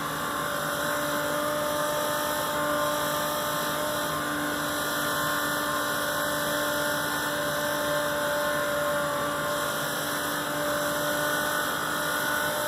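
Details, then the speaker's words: Macerator pump emptying an RV black tank into a standard toilet runs with a loud, steady, even whine and grinding hum that never changes pitch, chewing up debris as the tank nears empty; normal pump operation. "Kubby just chewing up debris to do that that tank pretty much empty now"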